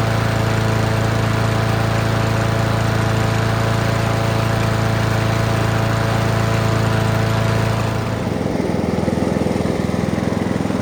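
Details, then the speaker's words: Free Honda mower with GCV engine, first run after tidy-up: even, steady hum with a smooth beat, no misses or knocks, easing off slightly at the end; healthy engine, still needs minor tune-up (plug, throttle cable, fuel lines). "That seems like quite a healthy engine. Still needs minor tune-up work."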